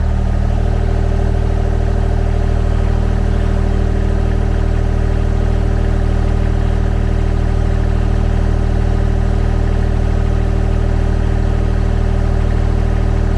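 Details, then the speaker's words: Kymron XTL30 mini skid steer, brand-new Kubota D1105 diesel at 8.1 hours, during an oil change service, revved up: steady, deep drone at raised rpm with even firing pulses and no knocks or whine; normal, very smooth running. "And so that's what I want to hear, especially out of a brand new Kubota diesel motor. Bring the RPMs up, very smooth."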